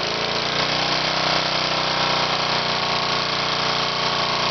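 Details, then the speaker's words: Cork-crowned piston with 1/16" hole, second run, no oil added, scored cylinder: harsh busy clatter over fast uneven beat, running rough and shaking; owner suspects cork chunks hitting cylinder head, blowing cork out exhaust. "yeah it's uh some of the cork or something's hitting the uh cylinder head I can hear it making a nasty noise there"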